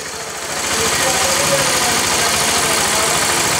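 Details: Honda CBR motorcycle at idle in neutral: busy rattling clatter about three ticks per second from the top end, timing chain suspected, engine rattle at idle.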